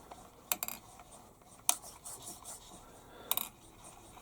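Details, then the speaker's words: Stuart Models S50 steam engine during fitting, hand-turned, no gland, gasket or rear cylinder cap: sharp scrapes and ticks about once per turn, irregular; a rod scratching on the casting. "I can hear that scratching on the casting."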